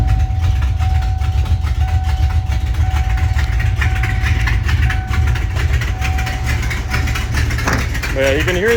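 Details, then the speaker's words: Ford Ranger with swapped-in 5.0 V8, started up: loud, uneven idle rumble with rapid puffing tick from a bad exhaust leak, otherwise runs not too bad. "I'll go ahead and fire it up actually. And then you can hear the horrible exhaust leak."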